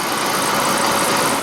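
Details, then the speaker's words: 1985 Evinrude 30 hp two-stroke outboard, first run with new exhaust gasket: steady, even burble at idle with no misses, knocks or surging; runs healthy. "Wow, she sounds good."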